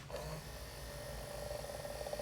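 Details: GM convertible driver's door mirror switch after cleaning black spots off its contacts, tested before refitting the door panel: faint steady small-motor whir at an even pitch for a couple of seconds as the mirror moves up and down; motor running smoothly.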